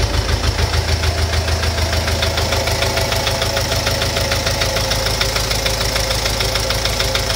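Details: Engine at steady idle with a sharp, regular knock about three times a second riding over the engine note; engine knock of unknown origin.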